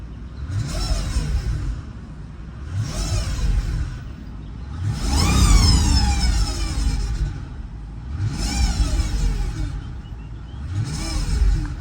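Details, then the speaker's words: 2005 Mercedes CL600 V12 twin turbo, parked, with a history of intermittent transmission limp mode and lacking power: each throttle blip swells with a rising whine over the engine roar; source undetermined, owner wonders if turbo. "It lacks power and it does all that right there. What is that? What's causing it?"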